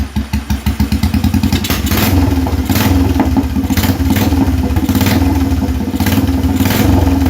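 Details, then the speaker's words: Restored Royal Enfield Bullet 350 running without a silencer, timing not yet set: open-pipe single gives even fast thumps, picks up cleanly and holds a strong steady beat. Good throttle response and idle. "It's got full response at the throttle. Idle's nice. I love that sound."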